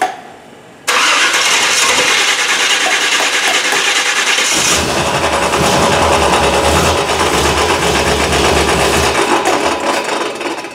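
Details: 1977 Malibu V8 cold start on a cool day, in neutral, new distributor just fitted; quick starter whir, then catches and settles into a steady, even cold idle with no misses or knocks; normal.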